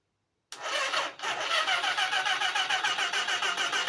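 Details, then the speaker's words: Motorcycle engine dry for six years, turned on the starter after fresh oil and filter, no chain fitted. Steady rhythm of about 3.5 pulses per second; the engine turns freely and is not seized. "Oh, I heard the engine turn. Mm. I heard it."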